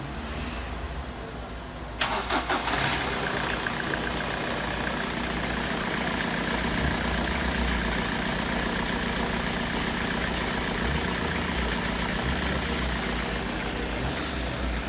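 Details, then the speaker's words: 2007 Ford Connect 90 PS diesel after injector overhaul for a misfire caused by excessive injector back-leakage: a quick crank and catch, then a steady, even idle with no stumble or shake, ready to return. "Normalde ben sonra geldim şu an bu aracımız Tamam bunu müşteriye gönül rahatlığıyla verebiliriz"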